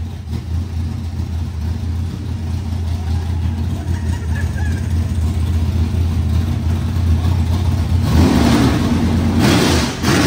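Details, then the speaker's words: Rebuilt 25-year-old SBC 400 race engine, first start: loud deep even V8 bark with steady rumble and a sharp rev blip; sounds strong and healthy. "get that's it dude that is so loud I forgot how loud this thing was that was so good"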